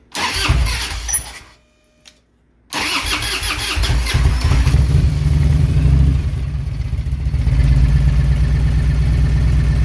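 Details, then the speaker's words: 1997 Harley-Davidson Road King V-twin, fuel-injected, started in January snow after fuel pump priming: starter cranks, catches into a loping, slightly uneven idle that firms up; cold-blooded, owner thinks fuel injection needs tweaking. "she is a little bit cold-blooded I think I still have to do a little tweaking on this fuel injection"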